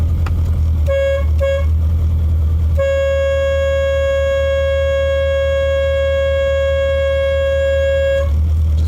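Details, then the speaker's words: 1987 Chevy Corvette C4: only the higher-note horn sounds, thin high beeps then one long honk with no low note; the second horn is dead, shorted internally, and needs replacing. "So right now on my car, I just have the one working horn. So it sounds kind of wimpy because it's kind of the higher note, because like, hink, it sounds kind of like an import car."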